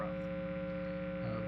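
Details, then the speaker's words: 2018 Gibson Les Paul Classic with P90 pickups: steady low buzzing hum with a strong tone near a hundred cycles and a rougher edge above; radio-frequency interference from the environment, not the guitar, power source or amp. "I would say the majority of the time the hum you hear is not caused by the guitar it's not caused by your power source it's not cause it's not caused by your amp it's uh it's radio frequency interference it's coming through the air"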